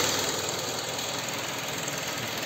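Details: KIA K5 after replacing connecting rod bearings from below without engine removal for rod knock, revved to about 4000 rpm then idling: steady, even idle with no knock above general mechanical clatter; bottom end sounds healthy.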